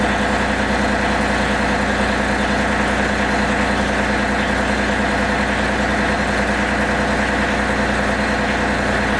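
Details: John Deere 3025E three-cylinder diesel tractor idling after glow plugs cycled twice and a heater under the oil pan for 30 minutes: steady, even clatter with no misses or knocks; warm, healthy idle.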